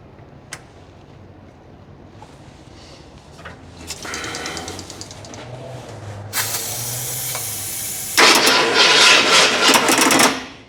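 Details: Fire-damaged 1981 Ford Bronco just bought, carb freshly filled and coil powered directly: the starter cranks steadily in bursts but the engine never fires. Crank-no-start, with the distributor, rotor and coil suspect after the fire.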